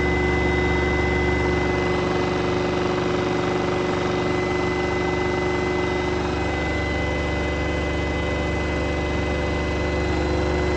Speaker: in this case there is a large vibration when using the cuge and allow noise in most cases it is necessary to replace the shock absorbers of the washing machine